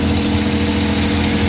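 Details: Suzuki K6A three-cylinder (DA63/DA64/DA52W) after general overhaul with XADO engine treatment added, first start: smooth, steady low hum, no knocks, ticks or hunting, idling cleanly as it warms; normal idle.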